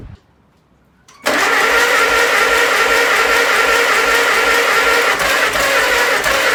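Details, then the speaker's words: 1948 Farmall C tractor, long-stored, first start on fresh gas: after cranking it catches into an uneven, chuffing run of about three pulses a second; compression in one cylinder only, firing on one cylinder; owner suspects stuck valves. "So, I've got compression in one cylinder. That is probably the only cylinder that I hear firing. So, my guess is that these valves are probably stuck."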